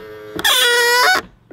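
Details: Power-folding exterior mirror on a BMW X1 E84 gives a loud, steady, high, dry squeal for about a second through the fold, then a small click; the fold mechanism squeaks and is stiff, treated with silicone spray, then graphite oil.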